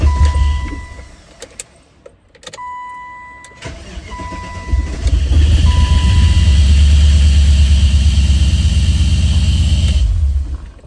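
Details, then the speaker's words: BMW E30 325 with an M60 V8 swap, started after priming fuel, oil added, no coolant: cranks and catches, then a harsh rasping grind rides over the idle. A pulley was hitting a heat-shielded hose; moving the hose stopped the grinding and it ran smoother. "So it turns out the grinding noise was actually from a pulley hitting one of my hoses that I put a put a heat shield on."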